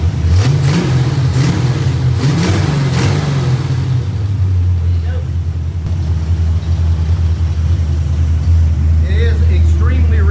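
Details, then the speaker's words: Mustang on first start-up, running a borrowed carburetor: rev blips, then a lumpy idle with loud chuffing; big exhaust leak, and the mixture is extremely rich, so the carburetor needs leaning out. "rich car is extremely rich and we're going to have to take some jet out of it but oh yeah fuel pump sh although the car sounds like absolute crap right now"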